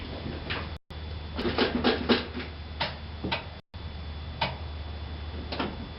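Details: 1966 Mercury Park Lane 390 V8, cold start without choke: rough idle with sharp, uneven ticks about four per second over the rumble; exhaust leak.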